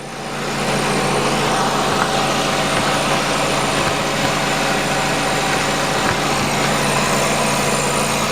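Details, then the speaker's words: 2008 Nissan Qashqai, 2.0 petrol, CVT, 4WD, 123,000 km, steady idle with a loose, tinny, uneven buzzing rattle under the car; the rotted heat shield on the resonator after the catalyst is vibrating. "я примерно предполагаю что это экран на глушителе но сейчас посмотрю вам убежусь"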